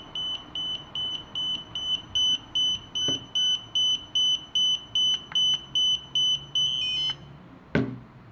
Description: The problem was that the remote control starts beeping incessantly after 15 seconds from turning on and would not respond to pairing with the Spark, no matter what.